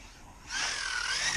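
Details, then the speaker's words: Laegendary Nitro RC car on 3S with Spektrum 100 A ESC and mod 1 gears, first bash: thin steady high whistle as it coasts off throttle; owner suspects gear mesh, high-pitched drivetrain whine. "I don't like that high high pitched like that you just heard but I like how it sounds just running sounds like it's got sounds like it's got dual motors or something yeah I don't I don't really like that gear mesh sound"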